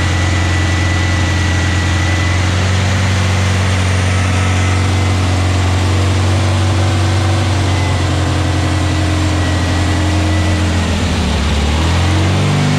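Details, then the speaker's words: New VW Beetle 1679cc single-port engine with Scat C25 cam and dual Empi ITC carbs during its 20-minute cam break-in. A strong, steady flat-four drone holds at fast idle, then revs dip and pick back up cleanly. The break-in went well and it ran healthy with no leaks. "So, success. Everything's good. So cam break-in went well, everything's good."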